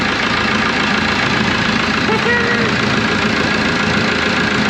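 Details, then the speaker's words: Roller (auction purchase) after complete rewiring, alternator wire re-run: steady, even diesel idle, dense uniform clatter, 60 lb oil pressure at idle, no exhaust leaks; normal healthy idle. "look at that oil pressure would you 60 lb that's an Idle No exhaust links got"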